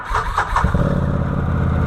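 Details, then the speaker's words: 2013 Can-Am Maverick 1000R: a few cranking pulses, then the twin settles into a steady, even low rumble now running on both cylinders; check engine light still on, primary suspected of knocking under load. "Oh my god, it sounds so much better."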